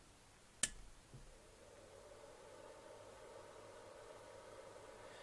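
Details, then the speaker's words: DPS5015 power supply in a new case: a switch click, then the rear cooling fan settles into a steady, loud, airy drone with no ticking or rubbing. It pushes a lot of air; normal but noisy. "Now, that's just the back fan, and it gets about that loud again when the fan inside starts going. Um, on the other hand, it is pushing quite a lot of air out."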